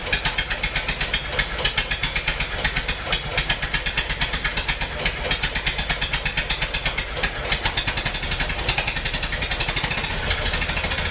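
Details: Massey-Harris 44 tractor stored about 10 years, new points: uneven, lumpy chuffing about four beats a second with missing pulses; cylinders 2 and 3 not firing, owner suspected stuck valves, plugs or wires; a stuck intake valve was found.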